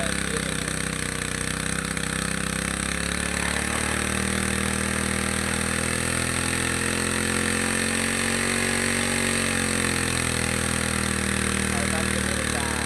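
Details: Two-stroke grass trimmer that stumbled on acceleration, carburetor cleaned and reassembled, mixture screw being tuned (counterclockwise richer, clockwise leaner) to find peak revs then backed off; buzzy drone rising and sagging over seconds, settling near best revs; speed change during carburetor adjustment.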